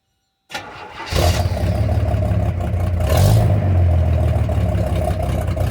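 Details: 1978 Pontiac Firebird with V6 and a clamped (not welded) exhaust, heard from the back: cranks, catches within half a second, settles to an even deep exhaust rumble with a clean rev; normal exhaust note.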